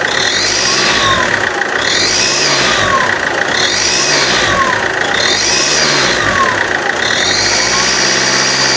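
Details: Alfa Romeo 159 1.9 Mjet diesel: sharp hissy chuff rising with each rev, at standstill or moving, as exhaust gas blows through the gasket layers of a warped exhaust manifold with integrated turbo; fix is new gasket, studs and nuts, manifold machined.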